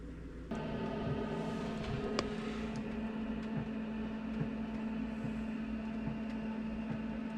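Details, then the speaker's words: Van diesel heater, interior 16 °C, rain, no condensation drain hole fitted: fan hums and fuel pump ticks about twice a second but no burner roar builds; heater fails to ignite and shuts off, cause unknown. "But I could not hear the initial of the flame. Ah, now I can hear it. It's going to turn off again."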